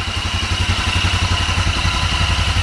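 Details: GY6 250cc CVT engine (Mega Hummer ATV), still cold, no choke, after valve clearance adjustment (intake and exhaust were too tight): steady, even idle with no misses or tapping; runs rounder, normal idle.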